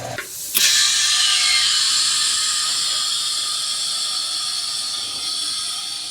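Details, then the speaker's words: 1951 rat rod lead sled air-ride tank pressurised to 120 PSI from shop compressor after welding work; sharp pop then loud steady hiss, leaking worse than before; air tank leak hiss. "Oh, I hear it leaks worse than I did before."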